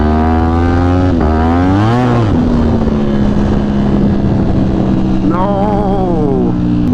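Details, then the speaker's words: Motorcycle with dry clutch at 2,200 miles: revs climb and flare sharply then hang and drop without an even pull, only at high rpm; clutch slipping, rebuild needed. "it sounds like this clutch is slipping dude that's not good already oh man I got to rebuild the clutch already"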